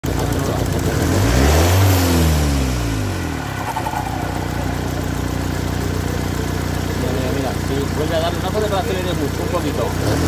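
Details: Ford Kuga 2.0 TDCi diesel blipped four times from idle: a hollow mid-pitched whirr follows each lift-off, as the turbo shaft moves axially on a worn thrust bearing.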